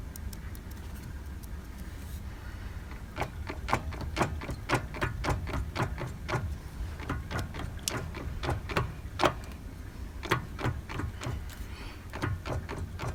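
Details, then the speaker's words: 2008 Vauxhall Vectra C SRI 140, 1.8 petrol, F17 gearbox, on axle stands: uneven sharp clicks and knocks as the driveline turns; driver's side inner CV joint worst, loud with much play; passenger side less, outer CVs solid. "yeah so by the sounds of it i think it's it well this side's the worst side the uh the offside the driver's side in a cv boot seems to be quite loud and it has quite a bit of play in it"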